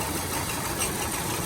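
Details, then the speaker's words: 2000s Hyundai Accent idling rough with an uneven stumbling pulse; pulling each ignition coil plug makes it worse except one, pointing to a misfire likely on cylinder three. "you can see how the motor is running and when i pull it you see how it gets worse plug it back in it idles up runs a little smoother"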